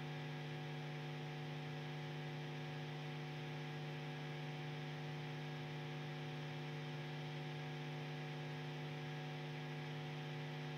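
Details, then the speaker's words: Two guitar amplifiers connected through the whole guitar rig, nothing playing: steady low electrical hum with a buzzy edge, unchanged throughout; ground loop hum between connected amps, before a Morley Hum Eliminator. "I'm telling you right away, humming, humming, some other things Far away, and also take this into account, this is what it sounds like, two amplifiers la bogi and me connected through my whole system."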